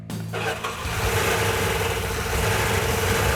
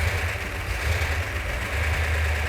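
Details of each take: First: New rebuilt Mopar 340 engine, first start after fuel sending unit fitted: runs rough and uneven, lumpy beat with a dropped cylinder or two; later found knocking with sand in the engine. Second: Newly rebuilt Mopar 340 V8 in car after engine stand run; deep steady rumble settling into even idle, no tapping or knocking; healthy.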